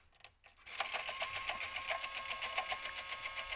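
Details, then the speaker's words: Jaguar XJ8 X308 CD changer on load/eject: quick light ticking about four per second as the mechanism strains but the arm never completes; gear is shaved off and not meshing with the next gears. "it sort of wants to go but it's not quite doing its job"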